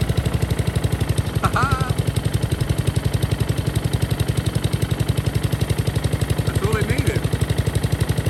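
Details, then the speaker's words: Honda lawn mower from the dump, run on added fuel: putters at a fast even beat, about four a second, with a clank under it, never reaching full throttle; owner suspects a plugged main jet. "it didn't want to go to Full Throttle so main jet might be plugged in fact it might just yeah it might be the main jet"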